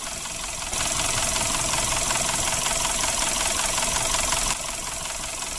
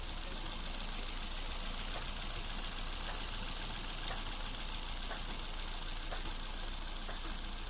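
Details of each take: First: Suzuki Ertiga engine with sludged oil passages, cranking and idling: rough, fairly regular ticking knock around 160 per minute, persisting after oil change; fix is cleaning oil passages. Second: Suzuki Ertiga after engine teardown, oil-passage cleaning and oil change for rough engine noise at start: quiet, even idle under a steady hiss with only a faint soft tick about once a second; normal idle.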